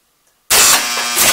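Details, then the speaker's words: County Fair pinball machine powered on for the first time after full restoration: sudden burst of nonstop clattering and relay buzz as steppers advance each horse one step as if a ball were in a hole, caused by a wiring short. "it sounds like what's happening is that the ball has fallen into a hole even though clearly the Playfield is upright and there are no balls in the holes and it's incrementing a horse One Step each time and then going on to the next horse"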